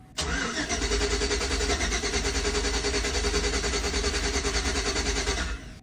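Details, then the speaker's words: 2006 Chevy Tahoe 5.3 LS, crank no-start: steady fast starter churn, about three to four beats a second, never catches; scan tool shows nothing from the cam position sensor, no cam signal. "not showing anything no not showing off from cam position sensor"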